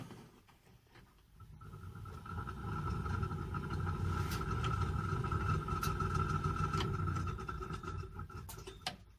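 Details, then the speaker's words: Chevrolet pickup heater blower motor on test after rewiring: spins up to a thin, modest whir with faint high tone then fades, almost no airflow on lower speeds; weak blower, owner suspects a connection problem. "Alors le souci, c'est que ça fonctionne, mais c'est pas terrible. Et quand je change de vitesse, j'ai quasiment plus de ventilateur."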